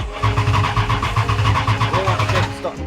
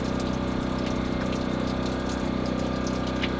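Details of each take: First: 1941 Dodge 3-window coupe hot rod with Mopar 440 big-block V8, first start: even cranking pulses about two seconds, then catches and settles cleanly with no knocks or misses; normal cranking and start. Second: 1941 Dodge coupe hot rod with Mopar 440 big-block V8: steady idle hum with faint watery rushing as coolant leaks from blown freeze plug at back of block behind exhaust manifold; blown freeze plug.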